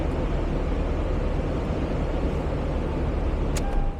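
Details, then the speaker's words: Cold start and idle of a 30,251-mile 2006 Toyota 4Runner SR5, started indoors: deep, even low rumble held steady for several seconds with no ticking, knocking or misses, no warning lights; starts easily, smooth healthy cold idle. "Now I'll start it up quickly since we do want to hear it run. Runs so smooth, cold starts easily."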